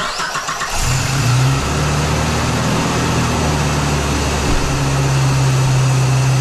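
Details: Geo Tracker 8-valve, first start on jack stands after a stainless header replaced the leaking exhaust manifold gasket: the engine catches and settles to a steady, smooth, low idle exhaust note. No ticking or puffing, no leaks heard or felt.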